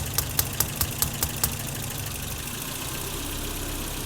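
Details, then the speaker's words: 1984 BMW E30 318i that failed smog, after cleaning the idle control valve: the engine idles slow and uneven with a few sharp ticks, then runs low and lumpy; owner suspects the valve was stuck and wonders whether timing is off. "that is really interesting I've never had it idle this low so maybe it was indeed stuck"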